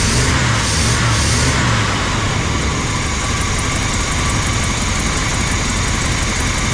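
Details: Old rig, after a plugged filter was found and a mouse nest was cleared from the intake: catches and settles to a steady idle with even exhaust pulses, no misfire or stumble; normal idle.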